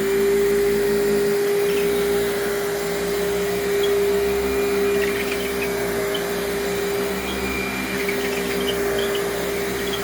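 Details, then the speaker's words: Vacuum being tested: steady motor roar with a thin, constant squeal from squeaky wheels. The motor also seems to be running worse than at first. "very squeaky wheels on this [Applause] one"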